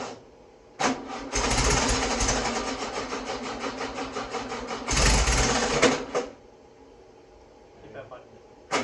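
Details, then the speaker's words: Freshly rebuilt VW Beetle 1641cc dual-port air-cooled engine, first start: cranks, catches and runs unevenly a few seconds then dies; no clunking; seems fuel-starved, owner suspects fuel pump not working, not confirmed. "seems like it's not got enough fuel to keep it running yeah your oh making the fuel pump isn't working"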